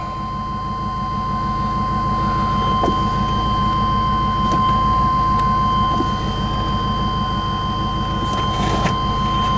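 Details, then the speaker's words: 1999 Chevy Tahoe V8 after P1345 (crank/cam position sensor) fix: new crank position sensor didn't cure it; now a steady, even idle with no stumbling, where 35 minutes earlier it wouldn't stay running. "a listen to that you would never know that 35 minutes ago this thing wouldn't even stay running"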